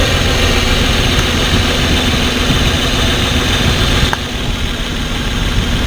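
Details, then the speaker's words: Petrol six-cylinder pickup, flashing check-engine light, code P0350: rough, unsteady idle that changes as each coil connector is unplugged, except at the faulty ignition coil causing the misfire; coil swap confirmed. "aquí ustedes pudieron ver la falla claramente verla y escucharla se dieron cuenta como a la hora de que les conectaba cada conector el sonido del motor cambiaba"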